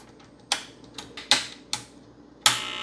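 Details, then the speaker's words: 1978 Milton Bradley Electronic Simon with a TMS1000 microcontroller, not working for years, powered on the 9V battery with the batteries reseated. Irregular sharp electronic chirps, about one a second with uneven gaps; erratic behaviour, cause unknown. "oh it's doing something what does that mean"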